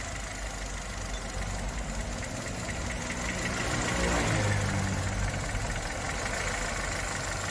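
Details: 2011 Chevrolet Spark that shakes at idle and stalls at low speed; fuel and intake system faults were found and an injector balance test was run. Uneven idle with a lopsided beat that sags and recovers as one cylinder drops out.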